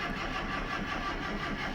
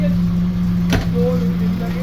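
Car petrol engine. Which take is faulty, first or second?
first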